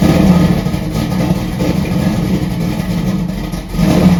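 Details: 1968 Dodge Dart drag car, stroker Mopar small block with solid roller cam, cold start: deep lumpy V8 idle with heavy low rumble and a brief rev near the end; healthy cold start.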